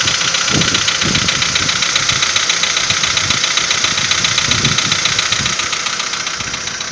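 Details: VW Polo Sedan 2015, morning cold start at idle: sharp, regular ticking knock, about three or four per second, over a steady engine hum; owner asks whether it is piston knock, unconfirmed.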